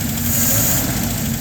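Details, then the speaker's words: LaSalle engine with mechanical non-adjustable lifters, fuel starvation test with choke manually closed halfway: engine pulls cleanly and evenly as revs build, no flat spot or stumble; smooth acceleration with choke partly closed. "You see it's pretty smooth. bog. Even the acceleration is nice. Even the accelerator pump."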